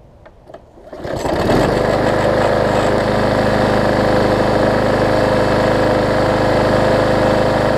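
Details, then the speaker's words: Yard Man push mower after a major service with the primer bulb replaced and priming working: after a pull or two it fires and settles into a smooth, steady full-speed run with no stumbling; normal running. "so that's all we need is for it to prime right there i put the primer bulb in it and they crank it up for"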